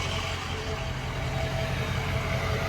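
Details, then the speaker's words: Ford F250 6.0 diesel after installing a high idle switch, switched off and back at normal idle: smooth, even diesel idle with a steady low rumble, no knocks or surging. "back at normal idle. I love it."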